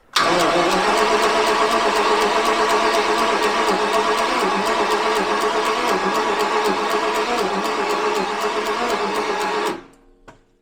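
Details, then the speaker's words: Abandoned Jaguar XJRS V12, makeshift fuel supply primed: steady rapid cranking about four turns a second for nearly ten seconds, never fires; fuel gushing through the rail, too rich, plugs suspected fouled. "Nothing. Now we have fuel gushing through the rail."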